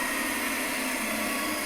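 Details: 1940 Delta T5074 repulsion-induction motor, bench test before dismantling, brushes set for reverse: harsh hissing rush over a weak hum, rough and unsettled until cut off; commutator to be cleaned.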